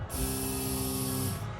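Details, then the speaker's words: Key-on in the CLIK-B8 wagon project before its first start, with relays bridged by jumper cables. A steady electric whir of the fuel pump holds for about a second, then cuts out, so the pump primes normally. "that pump powers on but for now i'll uh unplug this so we can use the power and then we should be able to get the engine like the engine to turn over"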